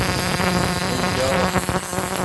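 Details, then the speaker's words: Rail speeder ignition coil (dated July 1985, 2-cycle engine) after quick repair with capacitor soldered in, bench-tested on a 12-volt battery with test plug; steady even buzz at constant pitch, sanded points arcing slightly, probably need replacing; coil working, normal buzz. "There is, I sanded the points, and they're arcing a little bit, not terrible. They probably should be replaced."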